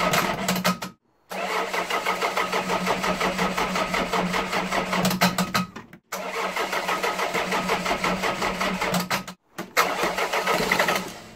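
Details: Ford Fiesta 1.3 OHV engine at idle before valve adjustment: fast, light, even ticking from tappets with excessive inlet and exhaust valve clearance.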